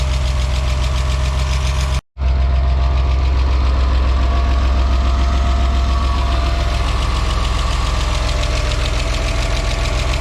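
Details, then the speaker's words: BMW E34 Touring, M50B20TU engine dry about two years, first run after oil pan replacement: steady low idle with a faint, fairly regular light tapping riding over it; owner hopes it goes away; light knock at idle. "seems to be working like fine there is a little bit knocking sound maybe it will go away maybe"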